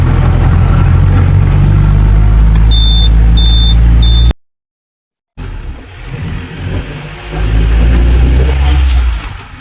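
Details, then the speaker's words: Mahindra Classic 4x4 Jeep, kept near stock, diesel started after glow-plug light goes out: deep steady diesel rumble with even firing, then free revs rising and settling cleanly, no knocks; normal running. "Okay, അപ്പോൾ അത് crank ആകും. Start ചെയ്യാം. ഇതാണ് ഇതിൻ്റെ engine sound."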